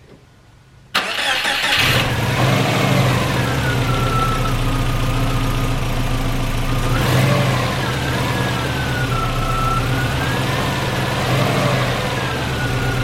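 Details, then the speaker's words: Subaru with a newly installed engine, first start after oil pressure was confirmed: starter spins briefly, then a steady idle with a faint hunt. Sounds healthy. Idle trouble is suspected to come from injector scaling; cam break-in was done afterward. "i think huh okay sounds good all right so cam breaking is done everything is looking good so far"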